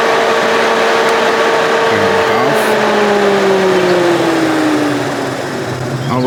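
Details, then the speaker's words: C6 Corvette radiator fan after installing a Casper fan switch, manually switched to full speed, much louder than low: loud steady whoosh and strong hum that sags in pitch as it winds down; high speed works normally. "Let's turn it on full speed. Oh, that's a big difference."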